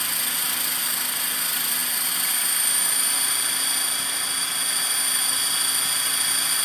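Steady high-pitched motor and rotor whine with a rough, buzzy edge in the hover: abnormal vibration, source not yet pinned down.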